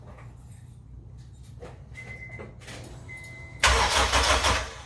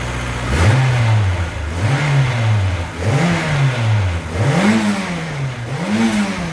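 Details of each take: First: AWD Honda Civic EM2 with new turbo and full exhaust, first start after install: starter cranks the engine over steadily then spins hard with no firing, cranks but won't start because the fuel injectors were left unplugged; spark plugs and coils just installed. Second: AWD Honda Civic EM2 with new turbo and new full 3-inch open exhaust (no baffles, ovalized pipe), just after first start: five clean throttle blips rising and falling smoothly with a soft, very quiet exhaust note and no ticking; healthy.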